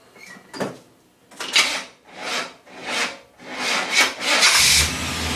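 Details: 1979 Jeep CJ5 with a 350 Chevy small block, running hot at about 240 degrees with one fan: slow, uneven raspy grinding bursts about once a second while cranking, then it catches. Bad starter.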